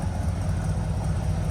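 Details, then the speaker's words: Finished 1965 Chevrolet C10 flip on a chilly day, brakes just bled and no leaks: a deep, even V8 rumble with a steady low burble and no knocks, ticks or misses. Healthy idle. "Everything works, no leaks. And man, listen to this thing fire up. Man, sweet."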